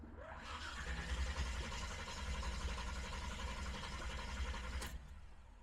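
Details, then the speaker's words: Engine just fitted with Aces Killshot Fusion fuel injection, first start attempt: steady starter cranking about five seconds without catching, then stops; hard start because fuel had not yet reached the throttle body. "I didn't have enough fuel up to the throttle body at first, so sometimes you gotta crank it once or twice."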